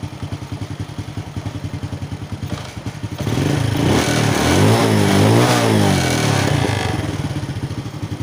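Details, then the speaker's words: Honda Wave 100 after fixing hard starting, poor acceleration and stalling (carb cleaned, clogged fuel filter and air filter replaced, fuel now flows normally): even putting idle about four beats a second, clean smooth rev up and down; normal idle and revving. "ที่นี้เราก็ได้ทำการแก้ไขไส้กรองอากาศแล้วนะครับนั้นก็เคยไส้กรองน้ำมันแล้วนะครับก็น้ำมันก็รายได้ปกตินะครับตอนนี้ก็ถือว่าโอเคนะครับอ่ะวันพรุ่งนี้"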